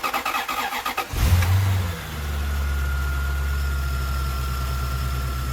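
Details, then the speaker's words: Toyota Soarer 1UZ-FE V8 after fuel tank and injector work for a misfire: cranks about a second, catches with a brief flare, then settles into a smooth, even idle on all cylinders with no misfire. "we've got all the cylinders is it misfiring no because it was misfire like this eh bad"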